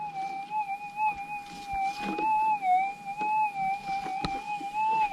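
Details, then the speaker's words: Minelab GPX6000 metal detector, Difficult ground type, sensitivity 9, noisy Warwick ground, small shallow test nugget: warbling threshold with a sharp rising-falling blip each coil sweep, easily heard over steady ground; clear target signal. "so pretty audible we might have to put these targets deeper to stretch it out"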